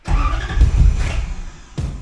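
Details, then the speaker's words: 1UZ V8-swapped 1989 Toyota pickup, Spitronics ECU just wired, engine dead cold in a cold shop: uneven cranking with weak chuffs and stumbles before barely catching; hard cold start, but tach and oil pressure work. "the truck was dead cold and it's still cold in here so little bit of a cold start which is I struggled"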